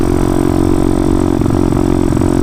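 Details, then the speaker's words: CT motorcycle on its first ride of 2022 after sitting about nine months, cruising: a loud steady run with rapid crackling pops through the exhaust. The carburetor needs tweaking; unclear whether the pop is rich or lean. "hear that sounds like a two-stroke can't have that i can't tell if it's a rich pop or a lean pop cruising but bad hopefully it doesn't do it during the wheelie that is popping a little bit when i grab it up"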